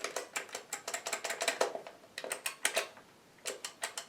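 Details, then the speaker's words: Vintage Cheetah Mach 1 joystick, microswitches swapped in from a second faulty stick and cover refitted: crisp, clean single clicks in quick bursts, the microswitches snapping normally before the stick is plugged in and tested. "Good. That all sounds correct."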